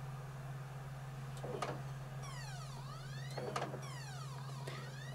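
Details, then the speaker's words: PS4 Pro optical drive with a PS5 Spider-Man disc inserted: a whirring tone sweeps up then falls away over a steady hum as the drive repeatedly spins up and down, unable to read the disc. "it's trying to read it right you can hear what's happening it's ramping up and going down ramping up and going"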